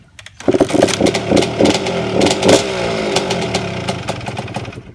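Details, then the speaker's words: 1992 Suzuki RM125 two-stroke dirt bike after carburetor cleaning and choke adjustment: fires first kick without choke, crackly popping settling to even buzzing idle; running well, muffler rattle noted. "so this thing is running great it's not screaming loud like a banshee"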